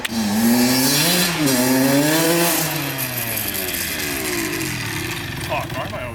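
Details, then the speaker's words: Honda CR80 two-stroke (90-92cc) with new Keihin PWK 28 carb, air and idle screws untouched, about 45-50°F: revs rise and fall, sounding muddy and blubbery near the top as it loads up, yet pulls well at bottom and mid. Later traced to an oil-fouled spark plug. "it sounds like it's loaded up at the top but I do notice that it pulls really [ __ ] good at the bottom at Mid so it might need a little bit more tuning"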